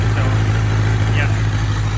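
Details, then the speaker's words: 2003 Kawasaki Z1000, fuel-injected, 3,000 km, cold start at 25-30°C ambient: deep, steady idle drone with flat, uneven exhaust note; cylinder #3 dead/misfiring for the first minute or so until warm, exhaust tone clearly missing. "you can tell this is not that exhaust tone is not right there's definitely something missing here"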